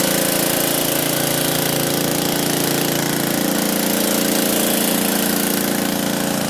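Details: Free roadside MTD push mower: loud, steady single-cylinder chatter at a constant speed with no stumbles or surging; the mower runs evenly.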